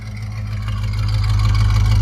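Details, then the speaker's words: Cheap squarebody pickup, cold, V8: a deep, even rumble building slightly in volume with no knocks or misses and no shaking. It runs smoothly and healthily; cooling issues remain to be addressed. "That's pretty incredible. It's running like a top. It's running amazing. Wow. Smooth."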